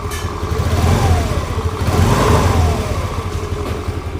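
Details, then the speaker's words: TVS Jupiter scooter after engine rebuild with many parts replaced (previously loud engine noise, cracked bearing suspected): starts on first self-start, smooth even engine note rising and falling through revs with no knocks or rattles; normal, factory-like sound. "देखिए दोस्तों एक ही self में start हो गई है और आवाज भी दोस्तों कंपनी जैसी हो गई है"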